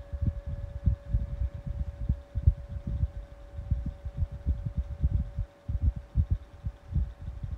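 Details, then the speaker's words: 12-inch Kool-Flo high velocity fan on low speed: a steady mid-pitched motor hum under irregular air-buffeting thumps. The owner suspects a slight bearing noise, perhaps because the oil has not yet broken in. "I do like that hum it got on low."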